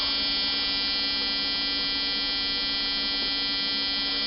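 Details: 1995-96 Jeep Cherokee XJ 4.0 petrol (UK Limited), ignition on while wiring is probed for the bypass: a steady, unbroken one-pitch buzz from the factory immobiliser buzzer.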